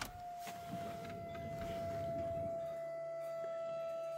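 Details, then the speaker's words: 2012 VW Passat 1.6 TDI (CAYC, 105 hp), engine off, fuel lift pump activated via diagnostic basic settings: steady high electric whine with faint clicks during bleed cycle, normal operation. "Donc on entend la pompe. [Musique] Donc on laisse travailler. Donc on laisse terminer le cycle."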